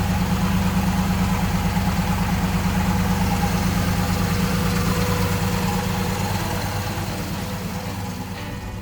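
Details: 1965 Chevrolet Impala SS convertible with an era-correct 327 V8 and automatic transmission, hood open: a steady, even idle easing slightly quieter as it warms, with no knocks or misses. It runs healthy.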